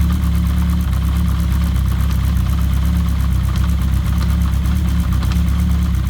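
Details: Kawasaki GPz750 Turbo at steady low idle: light, fast metallic chatter riding on top of the engine note; cam chain noise.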